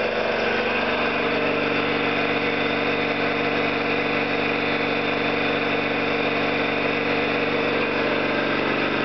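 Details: Orlík 2 JSK 75-2 compressor at one of its first starts after rebuild (valves, seals), motor provisionally started in star for the house breaker; smooth even pumping rhythm with constant motor hum, no knocks or rattles; normal running.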